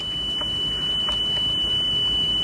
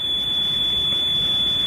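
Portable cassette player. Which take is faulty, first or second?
second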